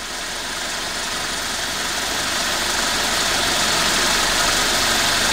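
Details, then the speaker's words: 23-year-old Toyota with 7A-FE four-cylinder, 213,000 miles, heard close to the engine: even, fast ticking over a smooth steady hiss; healthy clean idle. "Listen this, it purrs like a kitten, it clicks, and it's quiet like a Swiss watch."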